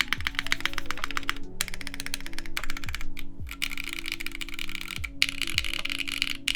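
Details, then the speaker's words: Vertex Arc60 plateless keyboard, JWK Magic Girl switches lubed with Krytox 205g0, 56g springs, TX films, GMK Triumph Adler keycaps; crisp even keystroke clicks with no ping or hollow ring: normal switch sound. "but it's really not that bad [Music] I think the sound of the typing itself will probably mask anything like that so it seems pretty good"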